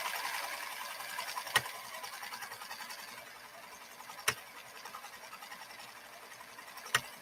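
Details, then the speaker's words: Pfaff 332 sewing machine stitching: light, rapid, even ticking from the pattern control mechanism, with occasional sharper clacks; working properly. "right here is going to be doing a rapid clicking motion you'll hear it if you listen closely and you'll be able to tell right away that it's doing its Duty"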